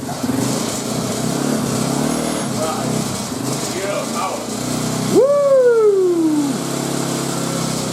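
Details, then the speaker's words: Hanway 125 single-cylinder bike starts and keeps running, one throttle blip rising then falling away smoothly; after fine-tuning, running fixed: the pipe had been fitted on the wrong hole. Normal running. "he is running. It was just a pipe issue. It was a pipe issue."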